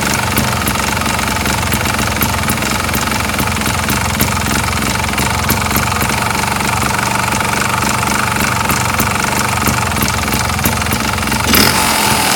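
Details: 2007 Sherco ST250 two-stroke at idle, with a sharp metallic ticking about four per second. An engine knock, suspected piston slap, unconfirmed.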